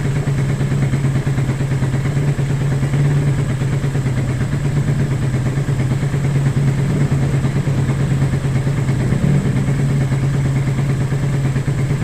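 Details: Engine hard starting with backfire: a low, uneven idle thump about three beats a second, loose clatter and a stumbling rhythm. A misfire is suspected but not confirmed.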